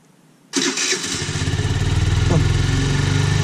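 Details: Peugeot V-Clic GY6 moped scooter, a non-runner, with a starter motor that had come loose: quick crank catches at once and settles to an even idle with no starter grinding.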